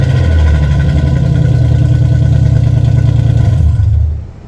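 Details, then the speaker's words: Nissan 300ZX Z32 (VG30DE), bought with aftermarket exhaust before repair: very loud, droning, raspy exhaust rising and falling with revs through hollowed mufflers; excessively loud, unstreetable. "Yeah, as you can see, that would be just ridiculous driving on the street. It sounds like shit."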